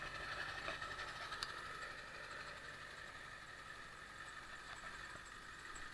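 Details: 1999 Ford F350 Powerstroke diesel, cold start after replacing ICP sensor: uneven idle clatter with occasional stumbles, loped briefly then smoothed, died when revved; idle hiccup persists after the ICP swap, cause not found; rough idle.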